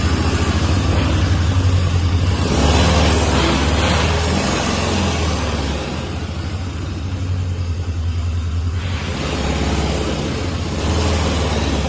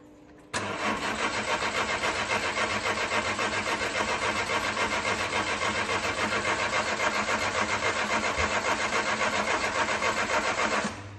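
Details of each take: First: 1998 Citroën Saxo limited edition, long laid up and non-starting, now running after a battery change with no smoke: a steady, even low engine hum through light revving, no knocks or ticks. It drives, the gearbox feels good and the engine sounds sweet. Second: 1998 Citroën Saxo limited edition, long unused, cranking at an even three-and-a-half beats a second for ten seconds without catching. Cranks but won't start; owner suspects a bad battery connection or a weak battery.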